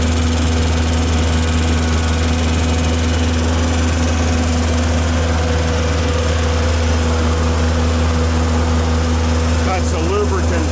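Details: Tennant M20 sweeper, Vortec 1600 engine, first run after a head gasket replacement: a smooth, constant low hum with no ticking, knocking or misfires. It ran 40 minutes with steady coolant and no leaks, so the engine is healthy.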